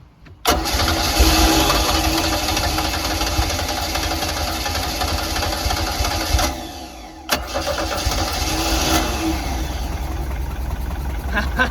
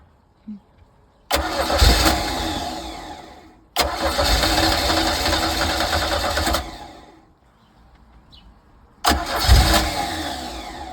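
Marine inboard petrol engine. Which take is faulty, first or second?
second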